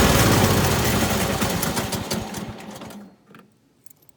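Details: Kohler Courage 19 hp Ariens garden tractor after muffler repair (loose internal baffle fixed), driving off on a test drive: steady, even beat under load fading away, no rattle; running healthy.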